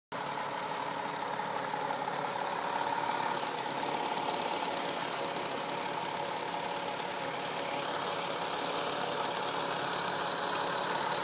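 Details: VW Golf V6 4motion 2.8 at warm idle: a light, fairly quick tapping, around three taps a second, riding over the engine; ticking noise when hot, origin unclear.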